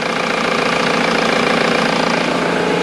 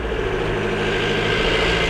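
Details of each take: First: Ford VH Transit diesel after replacing the fuel pump timing solenoid (earlier loud diesel knock, power loss, code P0149): steady, even diesel clatter at idle with no rattle or uneven beats; engine now runs normally. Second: Ford VH Transit diesel labouring uphill under load with loud tractor-like diesel knock and power loss, top speed about 60 mph; code P0149 fuel timing error, injection not advancing from a faulty diesel pump timing solenoid, so it starves of fuel.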